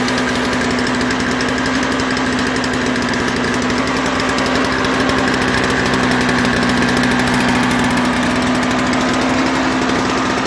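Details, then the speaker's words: Toro Snow Commander 38602 single-stage snowblower with electric start, previously not starting on bad gas. After fresh gas, a new primer bulb and carburetor cleaning, it starts after extra primes fill the bowl; small single-cylinder engine runs steady and even, normal running. "just needed a few more primes and I had to wait until the fuel got into the carburetor you know gravity trickle down you know fill the bowl all that stuff"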